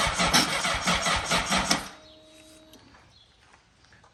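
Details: 2003 Honda CBR600RR with Yoshimura slip-on, sitting about three years, dead battery, cold start attempt on jump box: starter churns about two seconds in a labored, uneven rhythm then dies without firing; slow cranking from drained jump box.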